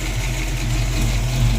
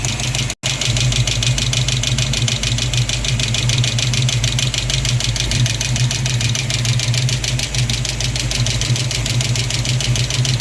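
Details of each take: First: Mustang V8 idling after adjusting a quacking number-three rocker and fixing the fuel system and harmonic balancer: steady deep even rumble, no ticking, sounds much better; small vacuum leak noted. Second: Ford Mustang V8 at idle after fuel pump and harmonic balancer change: loud, rapid metallic clacking over the rumble from a loose number three exhaust rocker arm, tightened with the engine running.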